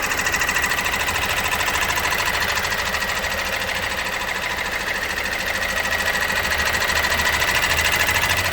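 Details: Opel Astra J 1.6 diesel 136 hp, before timing chain replacement: diesel idle with a fast, fairly even metallic rattle of about 200 a minute over the engine clatter; timing chain rattle.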